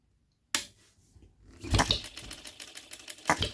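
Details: New, unadjusted OKMO Retrol B02 miniature petrol hit-and-miss engine, first start, on 25:1 shellite with Marvel's Mystery Oil: a sharp bang, then scattered pops and light clatter as it fires only occasionally between coasting strokes. Normal running.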